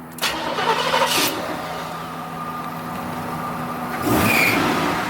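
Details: 1977 Cadillac Seville, 5.7L 350 V8, showing 39K miles, restarted after the test drive: short crank, quick catch, smooth settled idle, then a light blip; starts easily and runs evenly, normal start.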